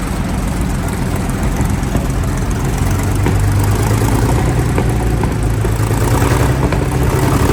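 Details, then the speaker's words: Centurion ARV after the magnetos were re-timed to the crank: a heavy, steady, even low beat with no misfire. Owner says the timing is right now, though fuel pressure is low. Normal running. "but now I'm pretty sure time wise she's all right she starts perfect yeah that starts how you want it to start don't it no no strain on the starter"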